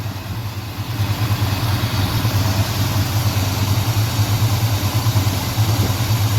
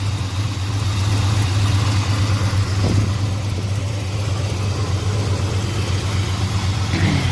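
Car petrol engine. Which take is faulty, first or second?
second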